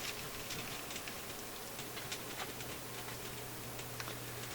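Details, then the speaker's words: Philips console stereo receiver with garbled FM, tested at full voltage; irregular sharp clicks and crackles over steady FM hiss and low hum; intermittent clicking crackle in FM tuner section. "Okay. I hear a faint hiss now, FM hiss. There's all the clickies noises."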